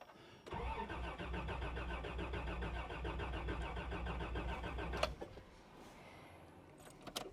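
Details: 1989 Toyota Land Cruiser barn find that sat about 8 years, fuel gauge on empty: the starter churns evenly for about 4.5 seconds and the engine turns over but never fires.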